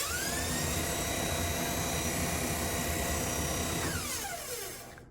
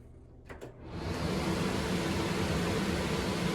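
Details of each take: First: Three-and-a-half-year-old Whirlpool kitchen vent hood that stopped working: fan motor hum with a rubbing scrape about four times a second, then pitch falls as it spins down; something fouling the blade, later found to be a bat. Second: Three-and-a-half-year-old Whirlpool vent hood after removing a bat that jammed the blower wheel and caused rubbing: a couple of clicks, then fan spins up to smooth, even whoosh, no rubbing or rattle; working properly.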